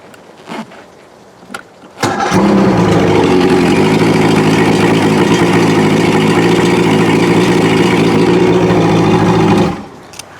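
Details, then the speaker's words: Outboard motor restarted once warmed up after using fast idle and choke: catches at once and settles into a steady, even idle for about seven seconds, healthy warm start. "so let me go ahead turn it on again see if it's warmed up it's still warming up a little bit but as you can see it's now starting with no"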